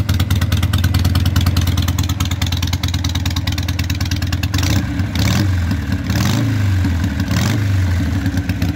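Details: Harley 883 Sportster street tracker, initial start-up after fitting loud pipes for earlier Sportsters on modified, custom-built mounts (owner expects a carburetor rejet): smoking, loud lumpy V-twin idle with crisp throttle blips rising and falling cleanly; runs great.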